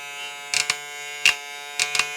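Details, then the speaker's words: Hair clipper (model 001) with new Zircón blade fitted, zero-gapped for testing: steady high-pitched electric buzz with a few brief louder bursts; motor and blade run evenly, sounds fine and compatible. "Ăla e zero-ul pe care îl are. Știți că mașina asta e puțin dificil de pus la zero, dar asta e doar pentru testare. Perfect. Asta sună bine."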